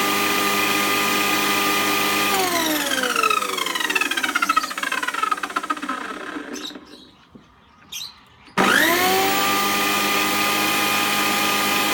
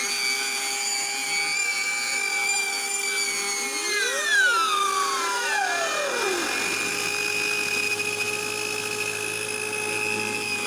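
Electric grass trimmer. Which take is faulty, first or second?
second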